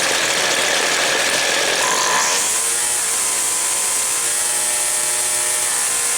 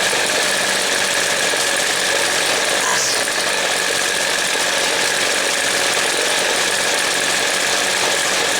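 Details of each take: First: Two-stroke equipment engine, cold, during high-speed carb jet adjustment at full throttle: a screaming wail that bogs, stutters and four-strokes briefly, then clears on its own. This slightly rich high-side mixture is the desired setting on a cold engine. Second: Two-stroke Weed Eater string trimmer, low-speed jet opened until it stutters: buzzy note sags and wavers when too rich, then clears as jet is closed about a quarter turn.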